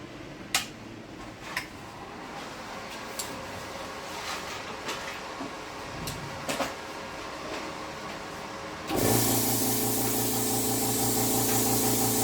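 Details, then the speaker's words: Tork CAB-50 plasma cutter after replacing the compressor capacitor: a few clicks, then the compressor motor starts and settles into a steady even hum at normal speed; normal running. "Le moteur atteint la vitesse normale, Le problème, c'est le condensateur."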